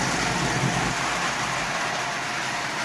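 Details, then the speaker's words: Lionel 33 standard gauge car with a Marx motor at full speed on a 1033 90-watt transformer: a steady, even whir of motor and gearing with no knocks or catches. Normal running. "So a little bit faster. There's full blast, full speed on the 1033 90-watt transformer. That's more than fast"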